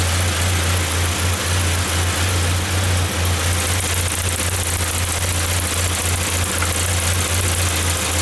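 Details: 1994 Saab 9000 non-turbo 5-speed, injectors rebuilt, vacuum leak plugged, new battery: low idle rumble swells and sags unevenly a few times a second, hunting; data stream good, owner suspects throttle position sensor, unconfirmed.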